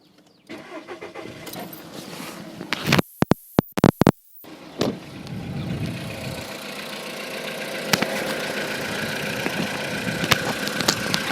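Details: Volkswagen Polo sedan that had a cold-start knock (owner unsure if piston slap), cold start at 10°C after the owner's fix under the decorative engine cover: cranks and fires, a few sharp clicks early on, then a smooth, quiet idle with no steady knock.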